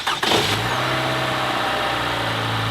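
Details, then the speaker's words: Four-cylinder engine, 130,000 miles, very dirty oil, warm restart: faint light valve rattle with no metallic knock, because the variable valve timing system already has oil pressure; it knocks only on cold startups. "now the only thing you hear is a little valve rattle it's got 130 000 miles but you don't get that metallic on the first startup because the variable valve timing system already has oil pressure in it"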